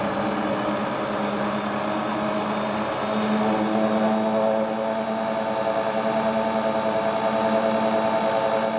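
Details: Hotpoint Ultima WT960 washing machine (7kg) test spin after repair with a brand new replacement drive belt; smooth, even whirring hum at steady pitch, no slapping, squeal or thumping; belt drive spins cleanly, normal spin cycle.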